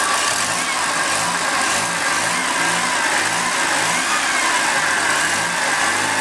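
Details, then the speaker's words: Second-hand Triumph Dolomite 1300 engine newly fitted to a Gentry MG TF replica, first start while warming up and burning off oil: clean, smooth rise and fall as the throttle is blipped, no knocks or rattles; normal revving. "actually sounds like I'm quite a good engine I just let I burn all this oil off okay she's warming up nicely now most of that oil is burned off sounds really sweet I'm really pleased with that engine so far"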